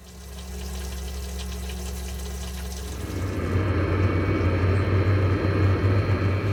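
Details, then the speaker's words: Camper's Eberspächer water heater on a newly refitted system with air-bleed precautions: a steady low pump hum, then after about three seconds a rough, even roar builds as the heater lights and runs properly. Normal start-up. "So the system now's firing up. I can hear the pump running."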